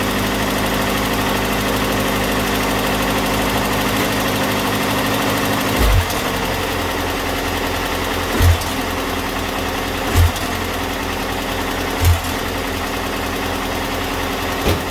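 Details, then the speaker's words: Datsun pickup after engine bay overhaul, warm, idling high on choke: steady idle with sharp ticks every two seconds or so; owner hears valve tap but now suspects the fuel pump; still has a dead spot. "I also still hear that valve tap [Music] which I'm now wondering if that's actually the fuel pump"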